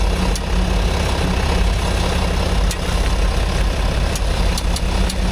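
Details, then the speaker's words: Range Rover L405, 3.0L SDV6 diesel, replacement engine fitted at 60,000 km: sharp, irregular clicking over a steady idle from the front end, traced with a stethoscope to beneath the skid plate; overtightened skid plate creaking on its bolts. "No, the problem is definitely underneath the skid plate."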